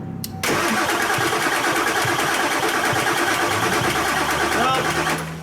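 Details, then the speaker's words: Auction 7.3 Powerstroke diesel truck cranks strongly, about three turns a second, no firing; no fuel suspected; crud seen, tank switch possibly involved. "well either i'm not on the pin or we ain't got no fuel pressure and it seems how it ain't hitting i'm assuming we got no fuel pressure"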